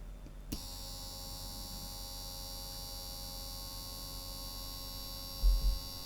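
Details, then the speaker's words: Eufy Robovac 11 roller brush motor after a drop of oil, run at 12 volts drawing about 0.09 amp: smooth, steady high-pitched whir with even hum, no squeal or scraping; running normally. "That's spinning really fast. It's drawing less than 0.1 of an amp now."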